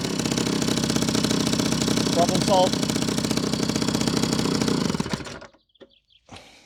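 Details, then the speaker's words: Old moped, 5 years in a barn, old fuel, after replacing the spark plug and slightly adjusting the carburetor; rapid crisp even-firing two-stroke buzz for about five seconds before shutoff; normal running. "So, yeah. Problem solved. So, actually what like I told in the beginning, usually it's the spark plugs on these old mopeds."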